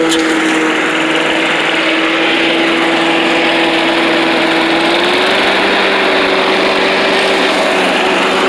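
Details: Old Rover Turbothrust mower built in Brisbane, Australia, no battery fitted, cutting grass into the bagger: a steady high-pitched single-cylinder drone holding speed and picking up slightly, smooth and even. Normal running under load; owner thinks the brake shoe may need replacing.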